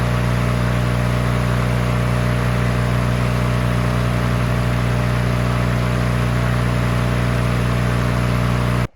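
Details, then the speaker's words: Free push mower that sat 6 years with water in the engine, after an oil change with its throttle rigged down and before the head gasket replacement: a smooth, constant drone with no misfires, surging or knocking, then a clean shut-off. It runs normally. "Well, this is running good."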